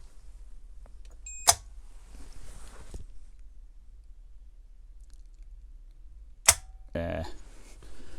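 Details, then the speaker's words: Land Rover Defender TD5 safe door digital RFID lock, relay-driven solenoid drawing about 6.5 A: two sharp single clunks about five seconds apart with short reader beeps as tags swipe; solenoid operating normally. "just swipe that in the front you can hear the clunking noise and you'll see the solenoid there you go do it one more time"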